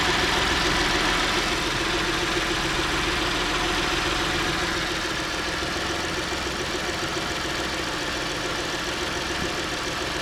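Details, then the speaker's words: 2010 Ford Edge 3.5L V6 first start after valve cover gasket replacement: steady even idle, smooth hum, no ticking, knocking or rattles; no weird noises, sounds good. "yeah sounds good yep I didn't hear any weird noises"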